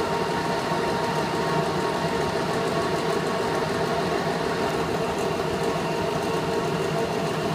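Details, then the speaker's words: VenTech IF8 inline duct fan at full rated speed after about three weeks of runtime: a rough, gritty drone with steady whining tones. It didn't sound like this when new; failing bearings are suspected. "so anyway it didn't sound like that when I first installed it sounds like the bearings are going what we're only about 3 weeks of life on it and I'm already going to have to throw it away really poor quality Equipment here"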